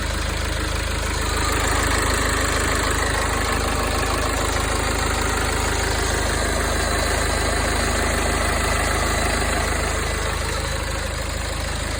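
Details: BMW N47D20 diesel idling with a steady, fairly even rattle riding on the idle rhythm; shop says it comes from the exhaust system, owner unsure; cause not confirmed.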